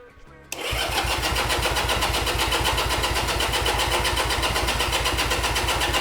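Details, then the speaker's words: 1975 Honda CB200T, start attempt after fitting new fuel filters, choke down: starter cranks steadily at about four turns a second with no firing at all; float bowls dry, no fuel reaching the carburettors. "And we are absolutely dry. Okay. So, there's no gas going there."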